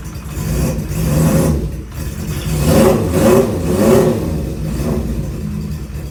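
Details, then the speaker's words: Honda CB550 cafe racer project, first start after unknown time sitting, choke on, on stand: fires up easily, but rev blips rise and fall unevenly with a ragged, wandering idle; needs a little adjusting, maybe the idle setting. "she fired up pretty easily. And it sounds like I have a little bit of adjusting to do, maybe set idle or something, but not too bad."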